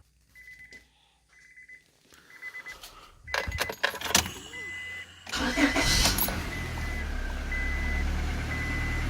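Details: 1998–2002 Honda Accord 4-cylinder right after power steering pump replacement, with fluid topped up and check engine light cleared: door chime, a short crank, then a smooth steady idle with no pump whine; install successful.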